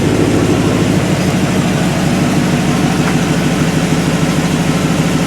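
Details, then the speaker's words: 1955 Chevy pickup started for the first time after a long build, after sitting a while, on the carburetor it came with: steady, even low rumble at idle with no knocks or misses; healthy. "Got a nice little rumble to it, nothing crazy. Nothing crazy."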